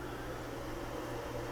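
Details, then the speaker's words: 48-port PoE Edge switch under repair after failing to power up, on its secondary boot: fans speed up to a steady, even whoosh over a low hum with no rattle or grind, the normal fan run while it identifies ports. "okay it's doing its secondary boot now as you can hear the fans have sped up and this is usually the point where it goes out and tries to identify what's on what port"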